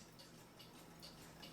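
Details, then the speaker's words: Vintage United swinging bell clock after waxing the bell's wood block and oiling the movement: only soft, even ticks about two to three per second, squeak gone, running quietly. "don't hear the clock running that's what most people want a lot of people can't stand the ticking of a clock or anything else"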